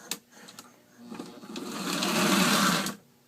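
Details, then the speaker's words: Old postwar Lionel 2037 locomotive motor after disassembly, cleaning of built-up grime and reassembly: it whirs up, holds an even buzz and cuts off cleanly. It runs smoothly and no longer jumps as it did before. "foreign smoother look at that remember how it was jumping last time that's smooth"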